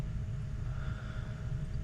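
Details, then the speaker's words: Boiler after restoring water flow by opening a closed valve and bleeding air: steady low rumble with a faint constant hum, no popping or roar surges; burner lit and firing evenly. "now the thing's lit I probably originally had a lot of air in it too"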